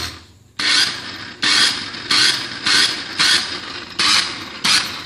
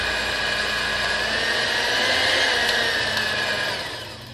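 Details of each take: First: Maspion hand mixer, previously opened and makeshift-repaired, switched on and off: short bursts of harsh, raspy high-pitched grinding about twice per second; very rough running, cause not yet found before disassembly. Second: Maspion hand mixer, previously very rough-sounding, after reassembly and rework: even, steady high motor whir with no rattle or roughness as it spins down; now running smoothly.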